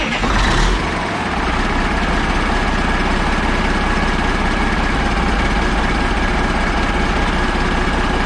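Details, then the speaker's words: Caterpillar 3406A diesel, freed up and started on three batteries with buckets for fuel supply and return, on its last run before going into a truck: a quick crank, then a steady, even clatter at idle with no misses. The finding is normal start and idle. "for the heck of it let's start it up one more time just because it sounds cool before we put it in the truck because this is probably the last time it's gonna run before it's in the truck i just love the sound of these things"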